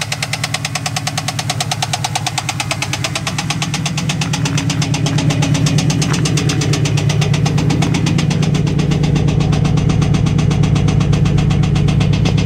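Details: 1998 Trans Am LS1 V8 at idle: steady deep knock a bit under three per second, constant over the idle; owner suspects a rod bearing but is not sure.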